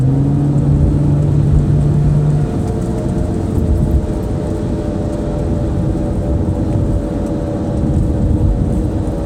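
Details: 2005 Saturn Vue: a steady low drone hums through the cabin at highway speed, with road noise underneath. It persisted after both hub bearings were replaced, and the cause is unknown.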